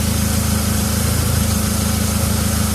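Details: BMW E36 after oil filter housing seal leak fix, warming up: steady even idle with smooth low hum, no knocks, misses or hunting; sounds much better, normal idle.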